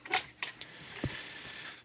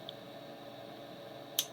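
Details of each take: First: GW Instek GPC-3020 bench power supply gives sharp, irregular relay clicks, about six in six seconds, as it randomly drops into output-disable/CC mode; this is an abnormal intermittent fault. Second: GW Instek GPC-3020 bench power supply, output relays unplugged, voltage knob turned up: one crisp relay click over a faint hum as the transformer changes taps; normal, unrelated to the intermittent output-disable fault.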